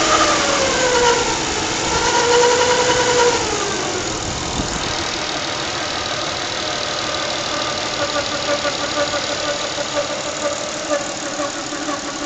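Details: 1996 Nissan Stagea 25X, RB25DE engine, at steady idle with a thin whine pulsing about four times a second over the engine; source still undiagnosed; rhythmic whine at idle.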